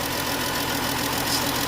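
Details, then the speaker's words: 2015 Dodge Journey at idle after oil filter housing replacement: fast, light ticking rattle from the valvetrain toward the rear. The owner suspects a lifter or worn cam on the intake side, not confirmed. "Yeah, the phone always picks up the audio different, but I can hear that that lifter back there rattling."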